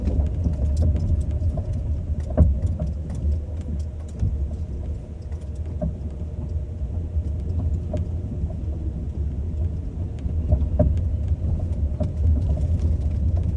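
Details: Ford Focus 2 steering rack knock, test 1: sharp, irregular clunks over low road rumble while driving.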